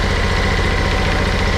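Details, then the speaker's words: John Deere X500 with a Kawasaki FH721V V-twin during a general service: steady low idle with a faint, even rattle on each firing pulse. Owner suspects a plastic cover or a head gasket. "so that noise that noise that I hear there I'm not sure exactly what it is but I hear"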